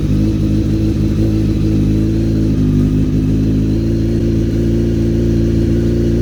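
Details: Honda CBR900 streetfighter after clutch replacement, oil leak repair, fresh oil and clutch cable adjustment: loud even engine note holding steady with a smooth regular firing beat, no knocks or rattles; healthy running.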